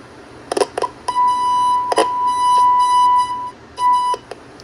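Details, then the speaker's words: Circa-1966 GE P1700A/P1701A germanium transistor AM radio, listening at the first IF transformer output while rocking a test signal around 455 kHz: tone cuts out and comes back weak; IF transformer not resonating, ferrite broken inside, needs replacement. "And as we go through this first IF filter, and as you listen to the output of the IF transformer, you'll hear very little amplitude."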